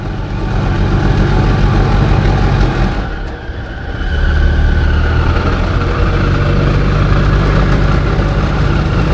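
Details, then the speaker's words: Invacar with CVT belt-pulley drive, climbing a hill, engine holding revs: rough droning whir rising and falling from the drive; owner unsure whether pulleys are misaligned or something else is wrong with one. "see the engine is actually keep keeping the revs up like it should it just sounds horrible I don't know if the pulley are out of alignment if one of the pulley is just too"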